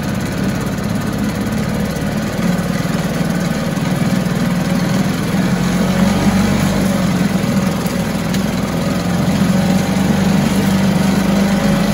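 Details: 1974 US-made Mercury 4 hp single-cylinder two-stroke outboard, revived after long storage, running in a test tank after reassembly: loud, steady drone holding even speed without misses or surges, runs like a top; normal running.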